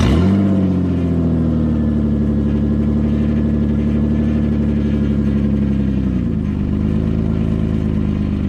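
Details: 2009 Nissan Murano before repair, exhaust pipe possibly snapped in half: very loud, raw, deep roar with throaty pulsing that dips and recovers with revs; exhaust leak from broken pipe.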